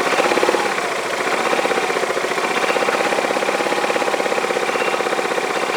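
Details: Yamaha Majesty scooter on a lift with the parking brake on, idling: a fast, even metallic clatter about four a second, like something slapping in the CVT clutch; the owner is unsure if it is normal and will inspect it.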